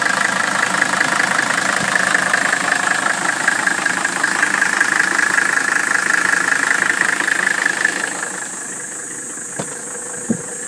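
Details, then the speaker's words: 1981 Mercedes W126 300SD, OM617.951 turbo diesel, restored with new piston rings and bearings, EGR vacuum blocked, new air filter, at idle: steady, even diesel clatter with no rattles, clanks or squeals; healthy engine. "there you go the engine sounds like it should there are no rattling sounds no clanking sounds no squealing it sounds like a very healthy om six one seven Mercedes engine"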